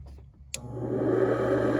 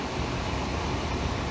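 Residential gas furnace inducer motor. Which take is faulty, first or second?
first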